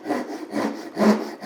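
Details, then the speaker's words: Japanese ryoba pull saw rip cut switched to a downhill stroke: four rough, uneven rasping strokes in under two seconds, with the teeth catching much more than when sawing uphill. "you can hear it's catching a lot more. You can hear that the timber wants to be cut in this up direction for a Japanese rip cut."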